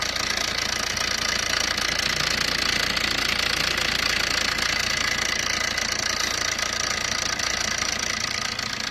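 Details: Fiat Punto at steady idle: busy, even metallic rattle riding high over the engine, about three or four a second, heavy timing chain noise from a worn timing chain.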